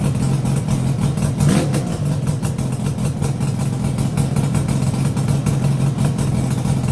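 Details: Yamaha RD350YPVS F2 two-stroke, first start after full rebuild (all bearings, seals, rebore), plugs loose on first run: steady even idle burble, no rattles or knocks; quiet, healthy engine.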